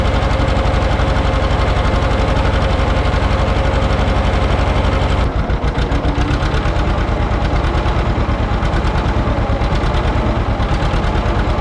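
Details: John Deere 530 two-cylinder tractor started after battery trouble: slow, loping, deep, even beat at about 140 pulses a minute with no odd knocks; healthy running.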